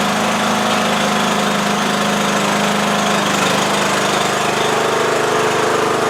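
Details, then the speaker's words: 20-year-old Bolens lawn tractor with a Briggs & Stratton Intek 15.5 hp single, started on choke after its corroded wiring connections were cleaned and a new starter solenoid fitted. It catches and settles into a steady, even chug with no stumbling or surging, running properly. "Uh I did put in a new starter solenoid since we were there. And uh yeah, now every time you turn the key it does what it's supposed to do."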